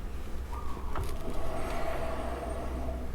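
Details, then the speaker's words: Yamaha XMAX 300 at about 4,000 km: a low, steady rear-wheel rumble and faint hum, with the rear brake squeal present at around 2,000 km now gone. "ไม่มีนะครับหายไปแล้วครับ"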